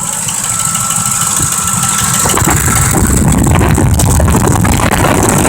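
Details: 2005 Ford Expedition 5.4L V8, put into drive and under load, idles unevenly with its beat stumbling about four times a second. It is obviously misfiring and hardly runs on its own; the transmission's forward clutch is also faulty.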